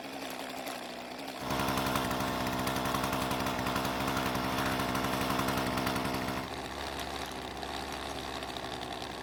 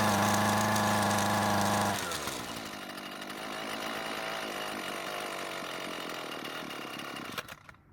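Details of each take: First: Husqvarna string trimmer with a new aftermarket carburetor, unadjusted out of the box: starts properly, then a crisp, even two-stroke buzz that revs cleanly from idle to wide open throttle and settles back without stumbling. Normal running. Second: Husqvarna trimmer with original carb after adjustment tips: buzzes steadily two seconds, then bogs, sputters and dies, won't stay running; stalling from fuel starvation, L screw to be turned a quarter turn counterclockwise for more fuel.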